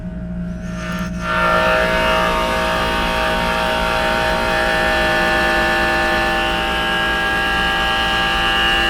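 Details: Worn Trane 3D Scroll compressor in a rooftop pool dehumidifier, about five years old, heard from about 12 feet away: starts and settles into a loud, steady hum with a harsh whirring rattle, noisy like a Goodman unit.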